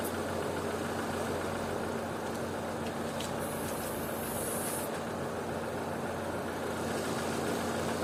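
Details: Opel/Vauxhall petrol engine with a high idle fault (2000–3000 rpm), idling around 800 rpm: a steady, even hum with no change while flammable spray is applied around the throttle body and intake, so no vacuum leak is found.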